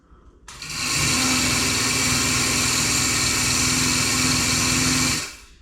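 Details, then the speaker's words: Melasty single-cow milking machine vacuum pump before repair, after milk overflowed from the bucket through the black tube into the pump, with poor pressure: harsh, high-pitched whirring with a rough buzzing edge, strained. Worn, sticking carbon vane and clogged muffler. "just doesn't sound good something something weird is going on here"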